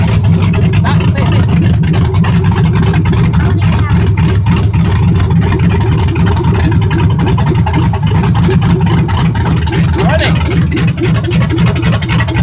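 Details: Truck after injector install, first start: loud raw V8 rumble with a choppy uneven pulse and no muffling, running with no exhaust fitted; owner says it sounded good but needs an exhaust.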